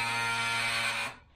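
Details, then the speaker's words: Eberspächer Schwingfeuer pulse-jet heater on a Unimog 404 radio truck, powered by 24 V. Its spark plug makes a continuous arc rather than sparking, giving a steady, harsh electric buzz for about a second that cuts off cleanly. Normal igniter arc buzz. "So what you hear, it isn't actually sparking, it's continuous arc that this makes. So you hear the arc."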